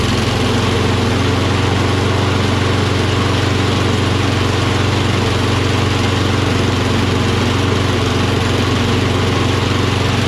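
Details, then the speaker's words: Curbside Toro Recycler XT675 Kohler mower, contact cleaner sprayed in: single-cylinder fires at a steady idle with an even beat on the sprayed fluid; spark present. "You can see it starts with starter fluid, maintains starting, which means there's gases getting through."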